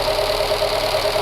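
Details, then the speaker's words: Fiat Panda CLX engine just reassembled after cylinder head work, airbox not yet fitted: steady, even idle with a constant mid-pitched drone and some intake roar, no knocking or misfire; running clean. "Seems like it's running just fine. So as you can hear behind me, it's maybe a bit loud here, but she runs. And she runs perfectly."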